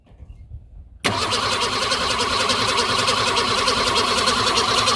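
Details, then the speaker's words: 1965 Ford Falcon, exact year uncertain, restoration project, fuel added: starter churns steadily at just over three beats a second but never catches or speeds up; cranks, no start; owner unsure whether fuel delivery or timing is at fault. "if you guys heard anything that sounded like bad fuel delivery off timing or anything like that please let us know"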